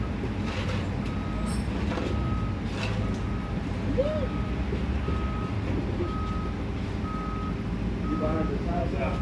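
A steady beep at roughly one per second, a clear mid-pitch tone over idling truck rumble, is a working reversing alarm.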